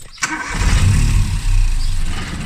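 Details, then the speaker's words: Classic Mini with a swapped modern boosted 3-cylinder engine on its first start attempts: starter click, then it catches with a low uneven rumble that sags and won't settle into idle; owner suspects misfiring. "hey Lucy tries to start now she just keeps doing that she weren't actually idle"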